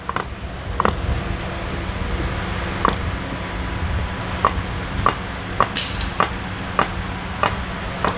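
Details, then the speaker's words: Honda CR-V front suspension with excessive play in the tie rod end and inner steering ball joint: sharp metallic clunks as the rack is worked by hand. This causes the knocking over potholes and bumps, and it worsens under vehicle weight. "तो यह play कुछ जरूरत से ज्यादा है and यही जब गाड़ी खड्डे में पटक रही है तभी यह आवाज क्रिएट कर रही है गाड़ी का वेट ज्यादा आता है तो फिर ये आवाज और ज्यादा बढ़ जाता है"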